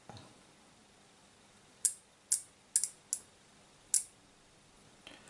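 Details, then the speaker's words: Arduino-driven relay on battery charger/discharger tester strip board, manually energised from 5 V; five sharp crisp clicks at irregular intervals in a quiet room, pulling in cleanly each time. Normal relay click. "that pink wire it's a drive to the relay which should drive from five volts from the Arduino and that that pot is 5 volts so if we touch that - there yep we get it"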